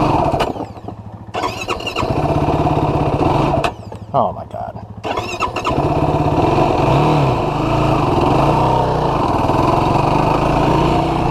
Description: when I picked up my new 2016 YFZ450R SE I was pretty disappointed to find out that the issue is still present, the engine took quite a few cranks to start and would stutter and flare out while riding at low RPM or low throttle.